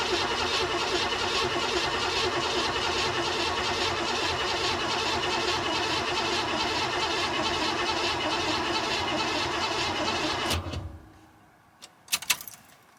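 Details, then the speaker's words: 1969 Buick Special Deluxe, 430 big-block with big cam, parked over a year, engine fogged before storage, fresh battery, electric fuel pump; steady even cranking about two and a half beats a second for ten seconds without firing; normal cranking, no start yet. "let the starter cool down for a couple minutes give it some fuel and should fire right up"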